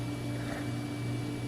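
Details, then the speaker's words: Old computer from a failing digital picture frame, recorded during Windows XP service pack installation: steady fan hum with a faint rough rattle that just started. Hard drive ruled out; the non-removable power supply fan is rattling, cause unknown. "Wow. Is that the hard drive making that racket? Nope. Oh, wonderful. The fan in the power supply is making like a rattly sound now."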